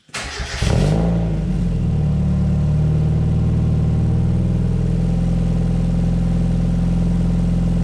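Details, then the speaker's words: Exocet after fender bender, with new fabricated stainless 2.5-inch slant-tip tailpipe extending past bumper, started in closed barn: quick catch, then loud, deep steady idle; sounds like straight pipe, running smoothly. "It sounds exactly like it did straight piped, but now it doesn't sound like it's coming out from underneath the car, which is great."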